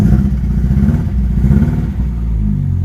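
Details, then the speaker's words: Ford Escort Mk3 XR3i under restoration, just started cold: uneven lumpy beat with occasional stumbles while warming up, settling somewhat; slight misfire on warm-up, owner plans to check the dirty spark plugs. "to have a slight misfire on warm up so i need to have a look into that and just check all the plugs and look dirty but it's okay on idle you can hear there is a misfire there"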